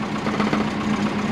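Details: 2001 Subaru Forester GT (SF5), twin-turbo, warming up for road tuning: a light buzzing rattle pulses with the idle. The owner suspects a loose plastic support. This is unconfirmed; heavy power steering and an exhaust leak followed.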